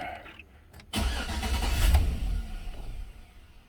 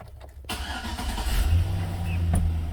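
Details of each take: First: 2006 Chevy Silverado, no-start towed in after speaker install, battery reconnected: engine catches and roars briefly twice, dying within about two seconds each key cycle; fuel pump heard priming, radio and windows dead. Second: 2006 Chevy Silverado, towed in with no start after the owner installed door speakers; the fault was a missing fuse. With the fuse replaced, a brief crank, then the V8 catches cleanly and settles into a steady low rumble, starting and running normally.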